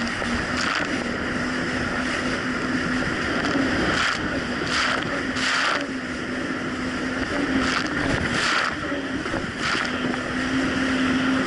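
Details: 2007 Yamaha VX Cruiser jet ski on choppy Lake Michigan after new spark plugs replaced mis-gapped old plugs: steady, even engine drone holding one pitch under heavy wind and water noise, no surging or dropouts; healthy.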